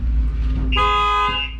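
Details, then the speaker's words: 2017 Lexus RX450 with StarLine S96 alarm/immobiliser: unlocked with factory key but without tag, simulating cloned-key theft; low rumble then loud steady horn blare, alarm triggered. "So basically you need to have a tag. Unless you've got the tag, the vehicle won't start, and also the alarm will go off as well."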